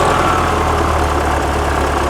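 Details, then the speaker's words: 1979 fuel-injected VW Super Beetle, air-cooled flat-four, warm idle after a no-start fix, before timing-light check: steady, even low burble with no misses or knocks; running smoothly. "she's idling down it's on it warm idle startup"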